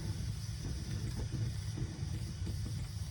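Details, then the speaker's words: Coleman Peak 400 stove burner after tightening the 5/16 generator valve and relighting gives a low rough roar with irregular puffs and flutters, sputtering unevenly; owner thinks the generator cooled down, before it settles toward blue flame. "It's a little angry. There we go. I'm sure that generator just cooled down a little bit in my basement,"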